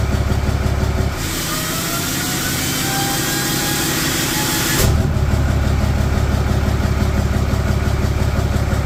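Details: Idle just after first start-up of a cheaply rebuilt HE351VE VGT turbo on a 4th-gen Ram 3500 Cummins daily driver; actuator off, assembly lube used. Steady, even deep diesel rumble with a brief loud rush of air; healthy. Minor oil seep at the empty VGT sensor port; needs a scanner relearn.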